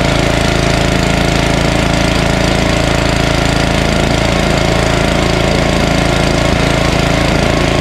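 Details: Ariens ST1128 snowblower, 11HP Tecumseh Snow King engine, after carburetor cleaning fixed surging, warm after running a while: steady, even single-cylinder beat of about three and a half per second, no surging; healthy.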